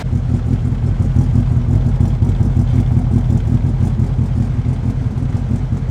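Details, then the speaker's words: K24 turbo swap in a Honda, first startup on an untuned base map, warming up before trailering: lumpy, uneven low rumble with irregular pulsing; runs rough, owner hopes it is only the tune and fears a bad motor. "Obviously it's not tuned at all, but just felt like it ran really rough."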